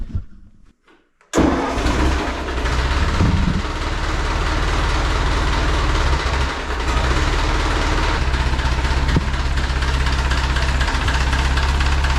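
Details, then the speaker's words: Restored 1950 Ford 8N tractor, exhaust manifold gasket renewed after a leak: brief crank, then it fires right up and settles into a steady even idle with no ticking or puffing. Normal start and idle. "Yeah, so it fires right up."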